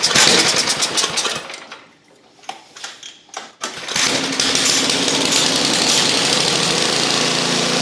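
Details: Neglected 8 hp Ariens snow thrower after carburetor work, fresh fuel, primed and choked: cranking bursts, a few sputters, then it catches and settles into a steady, even run.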